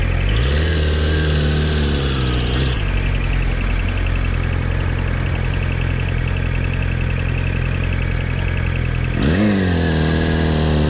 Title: YAMAHA R6 2020 abnormal sound when rev more that 5000